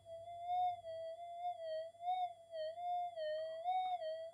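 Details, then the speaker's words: Redesigned-input Minelab GPX 5000 with better MOSFETs and input op-amps and no extra supply-rail capacitors: a clean, wavering tone near 700 Hz over a quiet background. The target signal increase is credited to better op-amp signal-to-noise ratio. "so is it fairly substantial increase uh in the signal and it's basically due to the signal to noise ratio of the input opamps"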